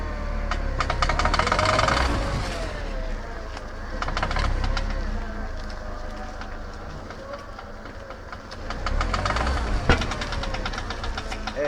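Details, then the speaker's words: VW Golf turning sharply while driving: rapid, uneven machine-gun clicking over the engine, less on left turns; worn outer CV joint. "Aí fica desse jeito aí, parece uma metralhadora mesmo. Compare o som."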